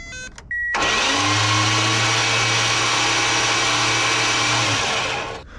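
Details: Circa-1965 Plymouth Fury wagon sitting about 20 years, first crank after adding coolant: steady, even starter cranking with constant low hum about four seconds, never catching.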